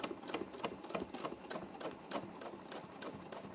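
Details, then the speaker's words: Free-motion quilting on a pre-printed panel with heavy variegated metallic Wonderfil thread, possibly with a blunt needle: quiet, slightly uneven chunky clicks at about three stitches a second; the thick thread and layers make the stitching sound coarse. "so it's making that nice chunky noise because of all the the"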